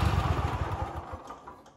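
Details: Reference clip of a healthy Kohler KT735 7000-series twin; quick, even low beat firing steadily on both cylinders before winding down; normal running.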